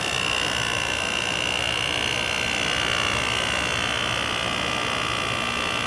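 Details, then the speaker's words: 2000 Quasar Cool Look HQ2061FH 6000 BTU window air conditioner on low cool after the thermostat was warmed with a hair dryer: steady even hum, smooth airy fan rush and faint constant high tone, no knocks or rattles; compressor running normally. "Compressor sounds nice."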